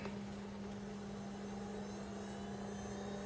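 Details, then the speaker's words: JVC VCR rewinding a tape: steady, even motor whir with constant low hum, no squeal, chatter or hesitation; healthy rewind. "hey that sounds healthy cool give you a better look at the timer controls there while it rewinds"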